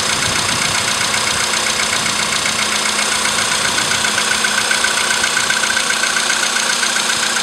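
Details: VW Polo sedan CFN engine, cold start in the morning after sitting overnight, about 10°C outside: idle with thin, even metallic ticking just under two per second over a hissy background; knock from inside the engine.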